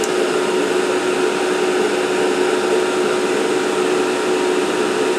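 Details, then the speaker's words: ALC60X argon laser head, about 195 hours, cranked to full power about 10.25 A, 95 mW, bore heat sink 125°C: steady even blower rush with constant faint tone, no rattles; cooling fan running normally, exhausting hot air. "Yeah. Now we're getting, you know, hotish air out of the fan. So, that's good. Want to get that heat out of there."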